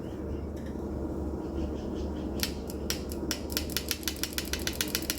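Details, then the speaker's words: 1986 Pontiac Fiero with swapped Buick 3800 supercharged L67, fuel pump relay jumped to a battery: sharp crisp clicks about four or five a second; relay works, suspected bad connection between connectors. "relay clicking okay sounds like I off the key on but so what it seem like to me is we have an issue with the connection between this and that connector"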